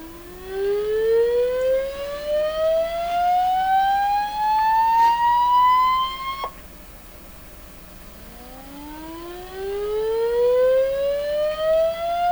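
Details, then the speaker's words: Sony TR712 transistor radio after replacing three small green capacitors: rising sweep tone with buzzy overtones that stay rough at low volume; distortion present, owner unsure if it is the original fault or just overdriving. "[Music] so there's definitely some distortion in this [Music] but i don't know that it's the same distortion we were hearing before and it could simply be i'm just over driving this"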